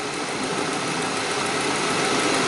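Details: 2007 Saab 9-3 with a newly fitted battery after a no-crank dead battery, alternator charging 14.3 V, about 90°F: engine settles into a steady, even idle with a constant hum and no stumbling or knocking; running normally.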